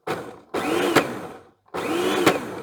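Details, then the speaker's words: Plastic kitchen slicer appliance from e-waste pile: motor starts then runs with rough grinding rattle and sharp crack; plastic drive gear fatigued and cracked in two spots, suspected worn bush or bearing. "Now, something's either come loose or broken in there. Feels like a bush or a bearing is very worn. Oh, that actually comes out. Oh, the gear's broken."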